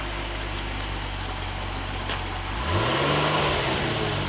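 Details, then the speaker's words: Flood-damaged car at 113,000 miles, possibly the Audi four-seater convertible, starting after the flood: even idle and a clean, smooth rev rise with no knocks or misses. It runs normally but still needs Seafoam and new oil. "sounds so good he's gonna need some seafoam it's gonna need new oils it's gonna need a lot of things but i think we're gonna be okay"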